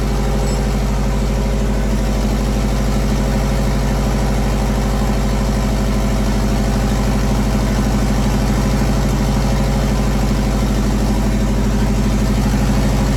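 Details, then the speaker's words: JDM EJ20 turbo WRX engine swapped into a kit car, after fogging oil in bores: steady low idle, even unbroken beat, no knocks or ticks, running smoothly and healthy. "we're gonna one smooth everything's running pretty good engine seems to be running pretty good right now"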